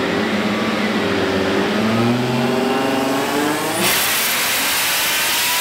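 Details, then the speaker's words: Turbo rally car with a straight-cut transmission on a dyno, with brake load applied to build boost. Revs drop as the load comes in, then the engine climbs and holds high and even with no misfire or knock. Healthy engine under load, tune not aggressive. "You can't actually do anything without the dyno brake, and you just can't get the boost up on a turbo car without it. When I start a dyno pull, you hear the revs drop due to the load."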